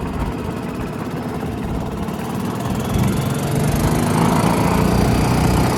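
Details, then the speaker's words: 1992 Club Car DS gas golf cart, just after carburetor change, magneto cleaning and transaxle repair, running cold: small single-cylinder engine runs steadily and picks up slightly, no misfires or knocks; healthy running. "Transaxle transmissions repaired. Enginees running. It's a little cold nature to start with for right now, but I think we just need to run it a little bit more."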